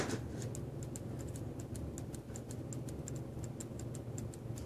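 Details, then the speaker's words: Verge fusee watch during assembly, just started running. Faint ticks alternate long and short over a low hum: the watch is out of beat, off-centre. It is to be fixed by moving the hairspring slightly and repinning. "so now there's enough energy and it's starting to go but I can hear it's not taking right it's it's off-centered"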